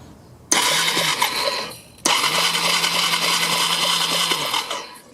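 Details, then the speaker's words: 1999 Yamaha Bear Tracker YFM250 ATV with aftermarket CDI and pickup coil, battery dropping to about 10.7 V: two bursts of steady starter whirring, engine never fires; no spark, crank no start. "i don't see anything dang it [Music] no spark well i am not having good luck with aftermarket parts on this stuff"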